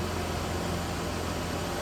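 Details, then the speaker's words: Ford F150 with newly installed engine idling: steady, smooth hum, no knocks or ticks, firing blends together; noticeably smoother than the worn-out old motor; healthy. "It's amazing how worn out something is, but you don't notice it until you put a new motor in. Like you hear how like more smooth and everything come up together."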